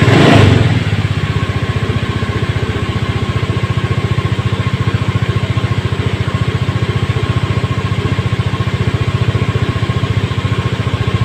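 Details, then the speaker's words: Honda Scoopy eSP scooter after idling-stop repair (idling-stop switch workaround, idle raised to 1600 rpm); steady even idle with smooth low putter, no misses or surging; engine back to normal. "jadi demikian eh tip singkat dari kami untuk edlink stop yang tidak berfungsi kita cukup akali tombol dari saklar Edwin stop kemudian kita setting stasionernya diangkat 1600 Alhamdulillah semua sudah normal kembali semoga bermanfaat"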